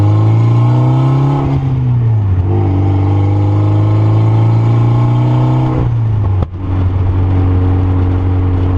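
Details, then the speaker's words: Mitsubishi Evo driving after a brake squeal fix by sanding the rotors: steady engine and road drone, no high brake squeal as the car slows. "so just took the car for drive and by the sounds of it we got it fixed"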